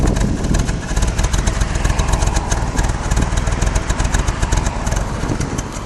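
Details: 1999 BMW E46 316i M43 engine: idle pulses unevenly at two to three beats a second, loudness rising and falling; rough hunting idle, owner suspects vacuum leak, not confirmed.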